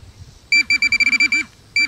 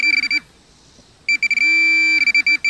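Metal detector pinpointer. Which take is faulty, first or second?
second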